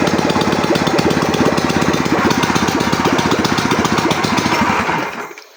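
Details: Ural motorcycle boxer engine, first start after full overhaul: fast, even popping beat at steady idle, no knocks or clatter, then shut off; runs healthy.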